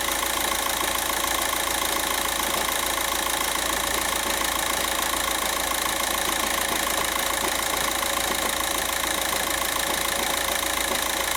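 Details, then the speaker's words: 2006 VW Jetta TDI (BRM engine) with low boost P0299: heard from underneath, diesel idling with a steady fast rattle about three a second over the clatter; worn dual mass flywheel. "that's dual mass flywheel rattle"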